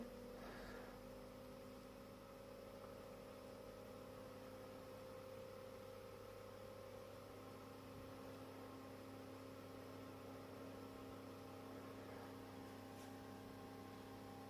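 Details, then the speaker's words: 230V AC industrial fan on a variac at 220 V, its lowest rated voltage: a quiet, steady low hum and faint whir, only slightly louder than before, with slight vibration felt by touch. No rattle or bearing noise; it is running normally and cooling nicely. "was just a bear increase in audibility nothing severe so it's still regularly a much more quieter fan"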